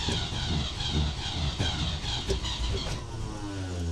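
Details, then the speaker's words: Range Rover Classic, about 40 years old, off the road for 12 years; injectors said to need cleaning. Uneven starter churning with weak firing pulses that never catch on repeated attempts: a long crank and hard start, cause unconfirmed. "Nearly. Not much luck really. Let me try that. Third time lucky."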